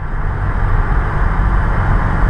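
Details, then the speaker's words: Honda S2000 after driveshaft (propeller shaft) replacement, driving: steady low engine and road rumble with no clunk when lifting off the throttle; the old shaft caused popping, clicking and a bad clunk. "accelerate let it code there's no noise at all"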